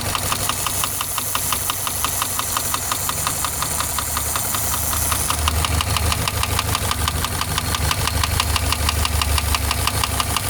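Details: Subaru boxer engine at idle: sharp, regular knocking about three per second over steady idle, clear internal mechanical knock; owner weighing repair versus replacement engine.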